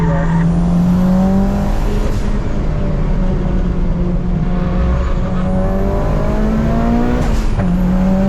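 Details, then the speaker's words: Mitsubishi Evo 9 on its first racetrack outing: steady high-rev engine drone with loud sharp pops on lift-off that surprise the driver; exhaust popping, cause unknown. "no I'm getting the craziest Pops I don't know if you guys can hear that in the video right there holy w why is it popping so loud"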